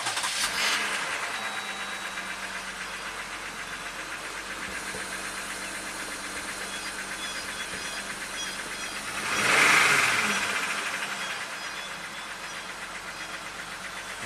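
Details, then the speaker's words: 2019 Jeep Wrangler Rubicon, Pentastar V6, 71k miles, P0300 multiple misfire code, blinking check engine light, shaking rough idle: busy clackety clatter at idle, knocking reported on bank 1, which runs lean; no dead cylinders seen, cause unconfirmed. "it does have some kind of clackety clack under the hood."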